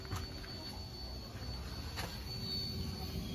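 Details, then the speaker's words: Jeep XJ before repair: the shorted ECU (unit no. 200) keeps the fuel pump running, heard as a faint constant high whine. The check-engine light does not come on and the engine won't start. "ไฟเช็คEngineไม่ขึ้นนะครับอย่างนี้คือกล่องช็อตนะครับเสียงปั๊มติ๊กร้องทำงานตลอด"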